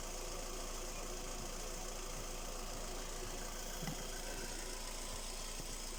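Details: Skoda Rapid 1.6 CFNA 105 hp petrol engine at idle: light, even tapping about four per second from inside the motor; owner asks what is knocking, cause undetermined.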